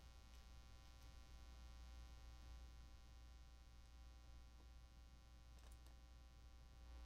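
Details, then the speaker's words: Quiet room on a live stream with a steady low electrical hum and buzzy overtones. It is mains hum in the audio chain; the host suspects cable shielding from crisscrossed cables, and it worsens when he moves away. Unresolved. "well i'm afraid i'm just gonna have to torture you with that hum sorry about that um it's just how it is today i'll have to troubleshoot that"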